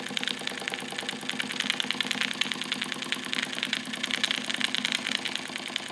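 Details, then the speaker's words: Wilesco D455 tabletop double-acting stationary steam engine, now at operating temperature after warm-up: fast, even chuffing with crisp steady ticks at a constant pace, no knocks or hesitation. Normal running. "For the most part, that's operating temperature now. And that's how it's going to run."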